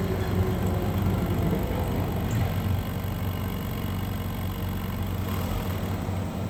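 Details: 2011-2020 Dodge Durango 3.6L Pentastar V6 at idle, throttle held to start, during a back pressure test on the second exhaust side; a steady, low, even idle with no pulsing or chuffing; reading similar to the first side, exhaust free-flowing.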